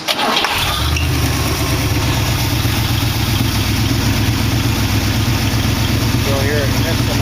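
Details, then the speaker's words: 1914 Dodge Brothers car with dual Edelbrock carburetors, before carburetor cleanup and rebuild kit: cranks and fires, then lumpy uneven idle with a skipping beat; misfire at idle, missing on one cylinder, cause not confirmed. "missing on one cylinder. Fire it right out. Good enough for government work."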